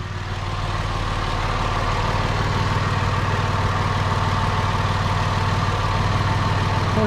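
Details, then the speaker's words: Petrol car during a battery tester check starts quickly: 620 ms cranking at 10.5 volts. It idles smoothly and evenly with a steady low hum and a faint clicking from the MAP sensor; normal healthy running. "There we go, 620 milliseconds. This started a lot quicker than the Bel Air, and it says 10.5 volts."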